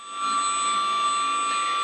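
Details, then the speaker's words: FX-61 Phantom RC plane with new Racerstar BR3536 950KV motor replacing a loud stock 1200KV motor, bench test without prop: clean, steady high-pitched whine, much quieter and smoother. "let's test it out and that sounds a lot quieter a lot smoother"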